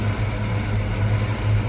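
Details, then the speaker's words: Ford Fox-body Mustang SSP 5.0 V8 idling after the no-start cause was found: a deep, even burble with no misses, shakes or odd knocks, and the earlier header noise is gone. A smooth, healthy idle. "it's running smooth it's not shaking other than what I would consider normal no weird noises pretty quiet"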